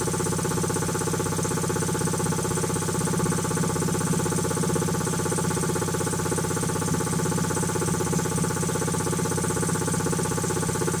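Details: Quincy QT-5 (QT5) compressor pump, first run after rebuild: fast, even pumping thump about four per second with a steady hum and no knocks or rattles; runs smooth and healthy.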